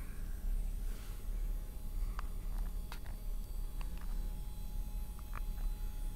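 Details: Building HVAC noise in an office, read at 88.5 dB on C weighting, with energy near 31 and 62 Hz. A steady, deep drone near the bottom of hearing with a few faint clicks; a loud low-frequency rumble that doesn't mask conversation.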